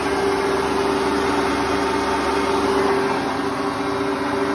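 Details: Hotpoint Ultima WT960 washing machine after a bearing change, spinning: steady, even high-speed hum with one constant mid tone, no rumble or grinding; drum still drips slightly from a seam joint but sounds healthy.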